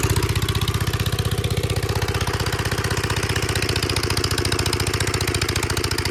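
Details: 1946 Gravely Model L single-cylinder, revived after about five years unused, started on ether with a suspected faulty carb float, in neutral at mid throttle: steady, even thump at slow idle, firing cleanly; healthy running engine.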